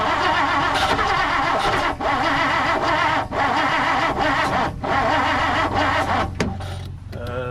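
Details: 1959 Plymouth Savoy cranking without choke, fuel squirting, coil ohms read off, aftermarket carburetor suspected; steady fast cranking about 3.5 turns per second with no catch or firing, turns over but won't start, cause unconfirmed.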